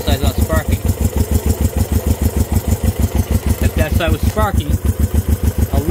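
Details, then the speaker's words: Honda CB350 twin, first start in 13 years, idling on one cylinder: slow, heavy, lopsided chuffing about five beats a second; the points on the other side are not sparking, so that cylinder isn't firing. "running on one side not full guys this thing is idling"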